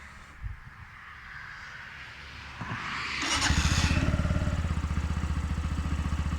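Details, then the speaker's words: Romet K125FI, Euro 4 fuel-injected 125 single: key on, quiet fuel-pump whirr, brief crank, catches at once and settles into steady, even idle thump; normal start. "zobaczmy czy odpali przekręcamy kluczyk słychać pompę paliwa"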